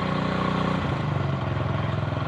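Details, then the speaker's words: Honda Win 100cc single after engine rebuild: thump revs up then settles to a steady, slightly lumpy beat with no heavy knock; acceptable running, not perfectly smooth. "kita coba semaksimal mungkin. Dengan kondisi mesin yang seperti ini sudah nggak terlalu gemblodok ya teman-teman, nggak terlalu ya, dibilang halus banget ya enggak, Honda Win lah."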